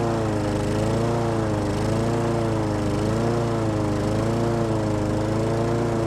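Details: Husqvarna lawn mower with Honda engine, sat all winter with stabilized fuel, started after carb spray with choke on: steady single-cylinder drone with a gentle slow waver in pitch; normal running.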